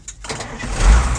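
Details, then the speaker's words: 1984 Ford L8000 dump truck with Caterpillar 3208 diesel, sat 3–4 years, restarted: fires straight up after a brief crank into a solid, even low rumble; healthy start. "listen to that cat that just runs just perfect"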